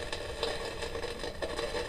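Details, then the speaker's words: Kaiser tabletop valve radiogram after electrostatic speaker repair, signal tracer on circuit after work on a suspected 100k resistor: steady crackling hiss with faint low hum persists; noise fault not cured, cause not found. "This is where it was noisy before. Power on. There it is. It's still there."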